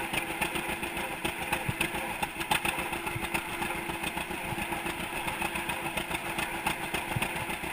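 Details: 1942 John Deere Unstyled A conversion, engine formerly stuck, on its first start after new spark plug wires (GoPro in waterproof case): slow, even two-cylinder putt-putt, steady firing, no knocks or rattles; idling healthily.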